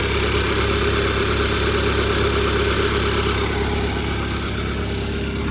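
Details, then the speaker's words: 2014 Hyundai Accent, 217,000 miles, revived after a seized engine, check engine light on: idles with a steady but slightly lumpy beat, about three pulses a second; rough idle, cause not yet known. "so we did it guys we did it it's running a little rough that's because [Music] um yeah it's running a little rough but we will get there"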